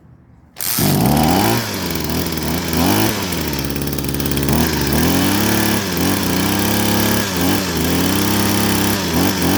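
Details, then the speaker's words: Pressure washer engine with float carburetor, previously surging and stalling on acceleration, after carburetor jet cleaning: starts after short crank and settles to steady, quiet, even idle with slight speed drift. "เครื่องเดินเบานี่เงียบเรียบร้อยนะติดเครื่องเดินเบานิ่งเงียบเรียบร้อยส่งงานได้ครับ"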